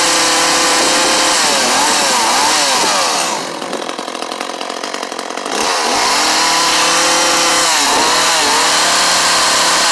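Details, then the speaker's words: Echo CS-400 chainsaw after new carburetor kit and fuel lines, high-speed screw turned a quarter turn counterclockwise. Uneven revs with a clear mid sag before picking up; bogging worse at high speed, mixture adjustment suspected. "sounds like the high speed might need a little bit of an adjustment okay i started the saw and i turned the high speed counterclockwise about a quarter of a turn and it started to bog even more"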